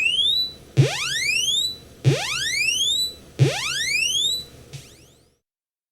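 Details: Commodore 64 running the One Page SID benchmark after its bad 6581 SID chip was swapped for one from a dead C64: clean rising chirp sweeps repeat about every 1.3 seconds, then stop; sound output restored.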